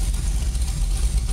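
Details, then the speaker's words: GT40-bodied car on custom chassis, heard from inside the cockpit: deep, uneven loping rumble with a pulsing beat at idle, normal lumpy idle from the big performance cam, engine healthy. "But so we got a little bit of a rumble going. I mean, you know, she's got a cam in her."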